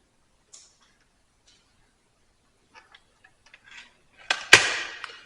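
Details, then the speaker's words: Remington Express synthetic air rifle out of the box, before a trigger upgrade, stiff barrel break: light clicks, then a harsh scraping twang with a ringing tail during cocking; quite a bit of spring noise, closing and lockup smooth. "And then the actual loading process. You can hear quite a bit of spring noise."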